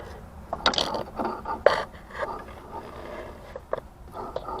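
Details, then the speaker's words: 2002 Pontiac Grand Prix that won't move in gear: irregular dry clunks and scraping bursts about once a second while the axle is pulled in and out, turning at the transmission but not the wheel; broken CV axle, to be replaced. "So when she puts it in gear, it's moving at the transmission, but it's not coming out here at the rotor and moving. So we'll be replacing the axle. That's the sound you hear when the axle is bad."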